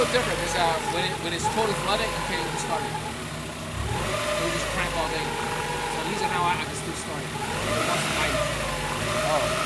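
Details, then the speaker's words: 1999 Honda Prelude, 113k miles, warm, dies after about 30 minutes idling, suspected flooded rich, distributor being adjusted; idle wanders and surges, revs dip and recover, near stalling: rough running and stalling. "and this is the exact symptom where it's one duck will die it's a little different"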